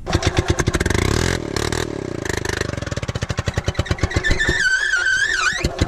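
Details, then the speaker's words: Gas-powered Columbia ParCar golf cart that sat for years, on a new temporary fuel pickup tube after the clogged filter was discarded; quick popping pulses that stumble and surge unevenly; rough running, carburetor issues suspected. "definitely have carb issues but hey we know it's worth fixing so i think that's a good start"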